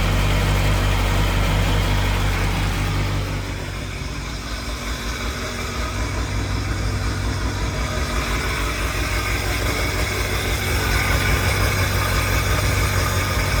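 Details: 2002 Sea-Doo Sportster LE boat, 951cc two-stroke, first start after a rebuild combining two boats: steady, even idle with a brief dip and smooth pickup, no knocks or misses; normal healthy idle.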